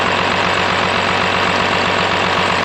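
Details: Cummins-swapped Ford F-550 with compound turbos on its first road test drive: loud, steady diesel clatter at an even firing rhythm with no misses or odd knocks; running smoothly, with a little smoke from heat.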